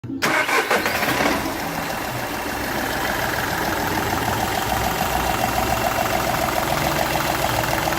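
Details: Seat Ibiza 1.2 TDI diesel fires up then idles unevenly with sharp rhythmic puffing tick; compression loss from cylinder one past the injector seal, which showed a burnt section where compression escaped.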